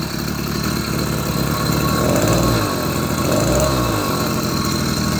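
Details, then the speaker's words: 80cc two-stroke motorized beach cruiser bicycle engine idling unevenly, hunting and surging; rough running, lacks power band, cause undetermined (before a replacement performance carburetor later made it run well). "don't know. To me, it doesn't sound right."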